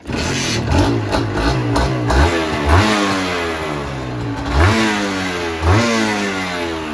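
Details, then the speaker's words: Old Honda NSR150 two-stroke, starts first time, power-valve motor and all lights working, cooling system normal, separate 2T oil tank: it catches quickly, clean blips rise and fall with a steady ring-ding idle between them; normal. "เครื่องดีมากนะคันนี้พร้อมขับได้เลยระบบน้ำปกติเลยคันนี้นะครับผม"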